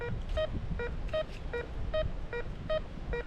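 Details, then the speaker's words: RM RICOMAX 1022 metal detector in discrimination mode (nail rejected) over a penny: crisp mid-pitch beeps about twice a second, slightly alternating pitch; steady repeatable target response, discrimination working. "So the penny, so you keep hearing it, beep, beep, beep, beep, beep, repeatable."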